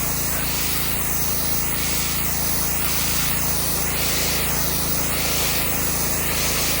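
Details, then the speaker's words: Subaru EA190V pressure washer revived with a cheap $12 Amazon replacement carburetor after years unused: steady engine drone, loud even spray hiss and slow sweeping whoosh, no stumbling or surging while cleaning concrete; running normally under load. "well there you have it YouTube It's Working uh the 13 well 12 13 I don't know with tax shipping 13 bucks uh the carb worked the cheap carb it did the job"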